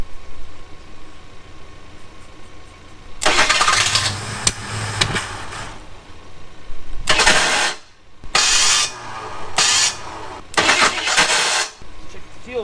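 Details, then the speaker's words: Abandoned Ford Thunderbird pulled from near Amarillo, about seven gallons in tank: several bursts of steady starter cranking with no firing at all; a fuel pressure check shows zero fuel pressure. "well there's our problem there's no fuel pressure so no matter how much we crank on it she's just not gonna go until we figure out why there's no fuel pressure"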